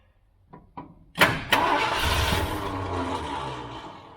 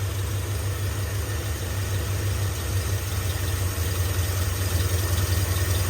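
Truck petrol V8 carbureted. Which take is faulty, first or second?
first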